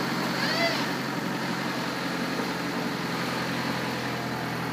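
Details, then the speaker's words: 1996 Honda Civic small four-cylinder after a new starter and replaced power cable: started up fast and idles with a steady low hum, even rhythm, no grinding or stumbling. "could see it's time to clean perfectly started up real fast"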